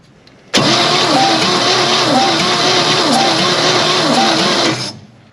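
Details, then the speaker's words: 1957 Chevy Bel Air convertible barn find, 283 V8, during a compression test: starter cranks steadily for about four seconds with a soft, uneven chug. Owner suspects rings, maybe valvetrain, but enough to start. Low compression. "that's not a lot no it's not okay that's Rings yep I mean unless something's messed up with the valve draw but it's enough to start it"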